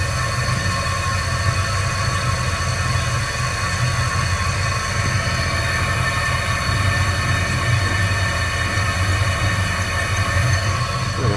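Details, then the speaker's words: 20-inch wood bandsaw converted to metal cutting with a used 10:1 worm gear, coupling and VFD-driven motor, running slowly around 145 rpm: a steady low drone with a throbbing rumble as the motor, supported only off the shaft, wobbles; it also spins backwards. "slow enough, it won't hurt anything, but something's definitely not good there."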